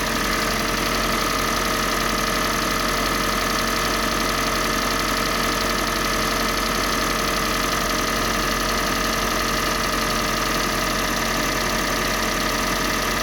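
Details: Kia Sportage 3 with G4NA engine, Total 5W-30 oil: loud idle with a steady tapping knock about two per second over the engine note, source not pinned down; engine knock.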